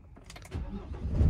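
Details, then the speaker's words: 2019 Ford Transit ex-fleet diesel, restarted after AdBlue refill, codes cleared and short drive: brief starter whirr, catches cleanly into firm even idle, AdBlue warning gone, sounds lovely. Normal start. "You can see the AdBlue there, so that was flashing earlier, and then it had a little apostrophe here, but everything's gone out and it sounds lovely."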